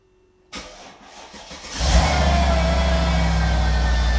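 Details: Mercedes SL55 AMG R230 V8 with intermittent no-start, before starter replacement: about a second of laboured cranking pulses before it catches and settles into steady idle; weak starter motor suspected.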